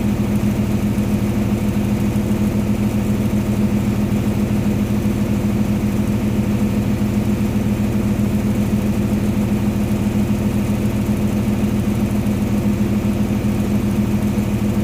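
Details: Water-damaged diesel engine rebuilt single-handedly and started after reassembly: steady, even diesel idle with a smooth low throb and no knocks or misses; the rebuilt engine sounds healthy.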